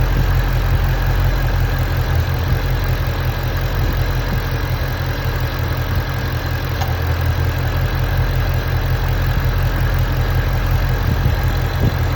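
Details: GT350 at idle: heavy, deep V8 rumble with irregular ticking and chatter on top; an unidentified noise at idle.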